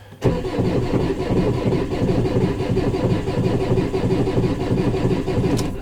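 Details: 2019 Maxus V80 no-start with codes P0335/P0336 on the clutch: starter churns steadily without catching, crankshaft signal status unknown, knocking and rattling heard; cranks but no start, no crankshaft position signal.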